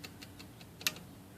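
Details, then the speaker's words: IBM Selectric III typewriter after a full service: light, even index ticking with one sharper extra click mid-cycle, caused by a worn, grooved detent roller that misfeeds the indexing; the roller is being replaced. "but it's making a weird noise here on the index here so it makes it a little extra click right there"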